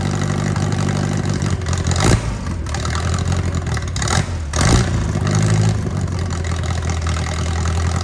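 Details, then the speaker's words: Mercruiser 3.0 marine engine of unknown running history, reportedly with a cracked block: it catches and settles into a steady, even low rumble with a couple of brief revs, running healthily. "oh it's it runs it runs ready one more time it runs"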